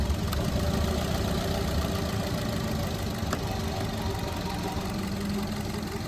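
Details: 2021 Maruti Dzire petrol+CNG with P0302 cylinder 2 misfire, P0300 and P0171: with cylinder 2 already dead and another coil unplugged, idle turns lumpy and shaky with uneven chug and more vibration; that cylinder was working.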